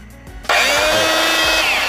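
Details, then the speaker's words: Jaco EZ Hoover Turbo JC333 vacuum cleaner (220–240 V, 50 Hz, 350 W) switches on with a harsh, very loud whine rising as the motor spins up, with heavy vibration and a burning smell; worn motor bearing suspected, not confirmed. "kini kasusnya kalau kita colokin dia masih nyala tapi getarannya kenceng sama suaranya juga kenceng"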